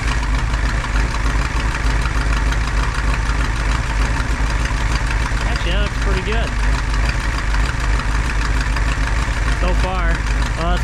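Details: 1985 Dodge Ram W150 with 360ci V8, long sitting project, after new fuel filter hoses: steady, even idle with a low burble and no knocks or misses; engine runs smooth and healthy.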